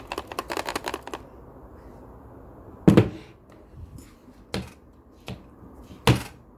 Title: Razer Blade 15 GTX 1660ti hard drive loose, making rattling sound